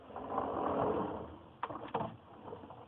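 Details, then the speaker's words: Top kitchen utensil drawer fitted with a Soft Close Systems closer: a brief slide, then light plastic clicks as the spring-loaded plastic catch grabs the red latch piece and pulls it shut. Soft-close working normally. "Primarily because there's a spring right in here that helps pull it closed at the end."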